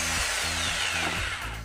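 Smooth, even motor whine with the bit spinning but no hammering blows; worn drive-gear grooves and striker seal stop the impact action.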